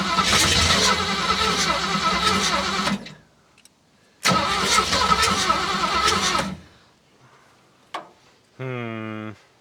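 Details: Classic Ford Mustang V8, engine swapped, sat for years, battery possibly low, pink fuel possibly tainted with transmission fluid, plugs cleaned not replaced, no starting fluid: two three-second cranks that never catch; afterwards cylinders 1 and 2 feel warm and 4 cold, suspected firing on only a couple.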